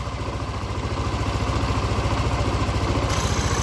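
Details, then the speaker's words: Yamaha NMAX after replacing a failed cam chain tensioner that caused rough clattering: engine idles smoothly and evenly with no knock, faint airy hiss from the disconnected breather hose. "Nah benar sekali awan bunyi motor dan bunyi mesin langsung sangat-sangat halus tidak ada kendala apapun"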